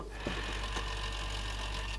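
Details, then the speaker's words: Samsung RCD1300 boombox CD player, playing a disc: busy buzzing mechanical whirr with a steady thin whine from debris in the sled motor gears; it doesn't sound happy but it plays. "Doesn't sound too happy, but it's running."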